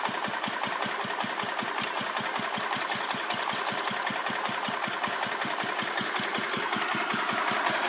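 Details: Restored 1985 Wheel Horse 312-8 garden tractor, after a multi-month revival: steady, even single-cylinder putter at a relaxed idle, evenly spaced beats and no misses, on a cheap aftermarket carburetor that works well; normal idle.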